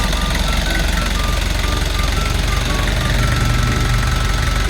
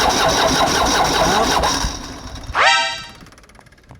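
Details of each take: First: Kia Bongo Big Eye diesel with electronic pump, after a no-start fix: steady, even clatter at idle with regular low thumps about three a second, no misses or knocks; idles normally after repair. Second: Kia Bongo Big Eye diesel with electronic pump, which the owner says will not start, before repair: starter churns steadily for a couple of seconds then cuts out with no catch or firing; mechanic plans to check the glow plugs.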